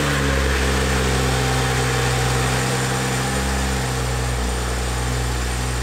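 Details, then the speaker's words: 2012 BMW 135i E82 N55, a totaled auction car being rebuilt, first start after battery hookup: steady, even, smooth idle with no knocks, misses or whines and no check engine light; oil level fine, minor oil pan gasket leak suspected. "well it runs yeah no check in tonight's or anything actually runs pretty good sounds healthy the oil level was fine"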